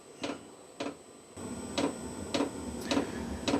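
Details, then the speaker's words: New VEVOR diesel heater's first start in a cold workshop with an empty fuel system: display shows SLP, soft ticks about two per second with no burner roar, pump pulsing but never lighting; later throws error 10, check whether the oil circuit is blocked. "Okay, it still says SLP and it started ticking again. I wonder if that means prime, because there's nothing in this thing. So far this has taken about 5 minutes and it still hasn't started up."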